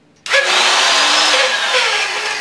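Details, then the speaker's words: Router with worn bearings spinning up to a harsh, gritty high whine with a wavering rough tone underneath; bearings going out, still usable for flat background carving but not for profiling or detailed work. "hear that sound that means the bearing's going out now I'm still using this router and I'm going to use it right now for the background but I would never use a router that sounds like the bearings are going out when I'm doing profiling or doing anything detailed"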